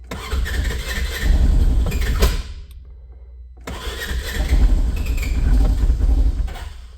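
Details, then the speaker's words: 2015 Polaris Ranger 900 first start of its replacement engine after fuel pump priming; uneven cranking, a pause, more cranking that catches into a low rumbling run, idling at 1300 rpm; normal start. "well almost there and we're idling 1300 RPM"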